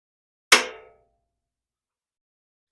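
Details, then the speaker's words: 1951 Gravely Model L garden tractor, WICO magneto grounded for a spark test, engine turned over by hand with some compression: one sharp metallic snap then a faint tick; the impulse coupling trips normally, but there is no spark. "didn't see any spark, but the impulse fired. That's always good."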